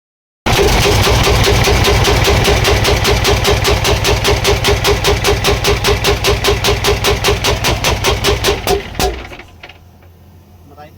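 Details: CAMC CM6D28 430 hp diesel engine bangs with a loud, heavy knock about two and a half times a second until shutdown; severe knock from a broken valve, blamed on overuse of the exhaust brake.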